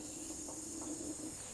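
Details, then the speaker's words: Small engine with spark plug fitted, turned over by hand, gives a steady airy hiss, a massive air leak of compression escaping past a leaking head gasket; soapy water spray locates the leak. "it's by hearing and listening so if I turn this engine over you can hear some hissing"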